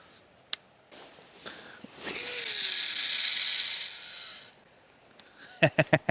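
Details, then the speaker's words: Daiwa 25 Spider 100 baitcasting reel during a cast, before repair: a high, buzzy whir with a gritty rattle from the spool; replacing the spool and bearings didn't fix it, diagnosed as a pinion gear problem, cured by greasing the spool shaft. "我的观点是它的小齿有问题。这个问题其实归根结底还是达瓦这个轮子有问题。"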